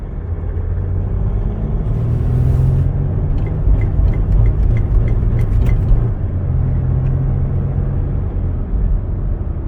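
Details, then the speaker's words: 2008 Mercedes-Benz ML320 diesel, about 172,000 miles, codes 2359 overboost and 2510 wastegate actuator fault: on road test under heavy throttle it pulls hard, then the drone surges and falls away unevenly as it goes into safety fuel cut; overboost from a faulty wastegate actuator. "it's just like it's going into safety fuel cut off"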